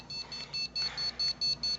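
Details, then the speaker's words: Newly built desktop PC with Antec 900W power supply and water-cooled CPU, first power-on: about five even, high beeps per second repeating over quiet fan noise; motherboard error, cause unidentified. "all right it sounds like everything powered up of course we get an error fans are running but it won't let me do any of these LEDs yet"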